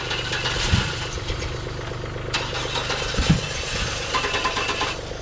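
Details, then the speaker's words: Old Chevrolet S10 that had not been moved in a while: uneven cranking with rough, stumbling firing that barely catches. It will only fire up with starting fluid. "it's starting fluid that starts this thing and it won't fire up without it"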